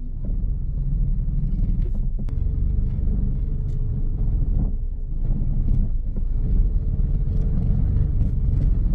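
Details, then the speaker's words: Samand/Peugeot 405/Persia at idle, steering turned while stationary: deep rumble with a faint hum and vibration felt in the wheel, from the power steering valve; a common, harmless trait needing no repair. "می‌زنه زیر دست و می‌لرزه ماشینهایی مثل سمن ۴۰۵ پرشیا همشون این ایراد دارن که ایراد برای شیر فرمو شه ولی هیچ مشکلی نداره"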